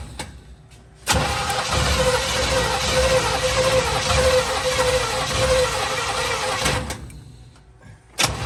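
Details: 1950 Plymouth Deluxe with Chevy engine swap, first start after 23 years off road, new fuel filter and spark plugs: catches after brief crank, runs rough but steady several seconds, then dies; engine start and run.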